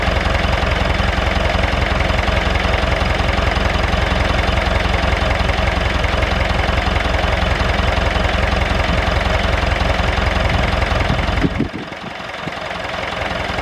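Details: David Brown 996 diesel tractor, left sitting about 10 years, just started: steady idle clatter, even beat around 160 a minute with no misses, then shut down; running fine.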